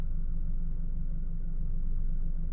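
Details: 2012 Chevy Cruze with 150,252 miles, restarted warm right after a 40-mile first drive following repairs: low, steady, even idle rumble with no knocks, misses or squeals; check engine light went out; engine idling normally.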